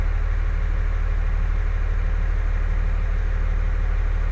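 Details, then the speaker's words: 2003 Dodge Ram diesel idling after replacing the Bosch MPROP/FCA fuel control valve (0928400666), which had caused a surging rough idle and stalling: steady even clatter with no surging or hunting, a smooth healthy idle. "this truck's running like a champ"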